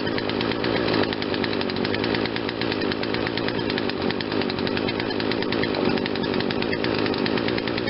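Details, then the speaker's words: Poulan Wild Thing 40cc two-stroke chainsaw after aftermarket carb fitted and a quarter-turn mixture adjustment, no choke: steady, even buzz at a slightly fast idle, not fast enough to need the chain brake, no surging or stalling; normal running. "Running a little faster, but not too fast that the chain brake needs to be put on."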